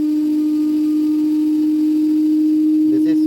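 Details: Daewoo DD inverter washer-dryer, 9 kg wash and 7 kg dry, during the fast spin: a loud, steady, siren-like whine. Caused by a damaged stator Hall sensor, not the bearings; replacing the sensor cured the noise.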